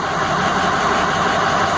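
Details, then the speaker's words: Ford 6.0L diesel after replacing defective engine harness (code P0261, #1 injector circuit low): steady, even idle with no stumble across cylinders; now running well. "this is the truck and we put an engine harness on it and the number one injector and look at it now it's running really good and each sounds good"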